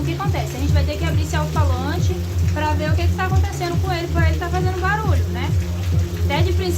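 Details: Large loudspeaker in a sound box: music comes through with a harsh raspy buzz on every bass note; the noise comes from the driver itself, not the grille hitting the box, suggesting the cone has partly come unglued.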